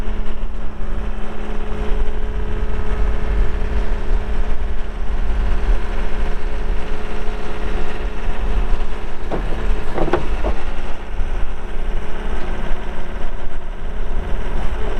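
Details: 2020 Gehl V270 Gen 2 skid steer, 72HP Yanmar diesel, 3,145 hours, during operational run; steady low diesel drone, even unbroken rumble with no knocks or misses, normal healthy running.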